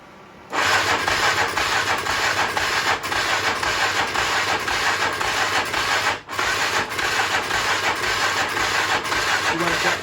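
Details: 1996 Polaris Magnum 425 4x4 ATV started on starting fluid, jump box dead, carburetor later pulled. Rough, uneven cranking with chuffing bursts and a brief stumble: hard starting.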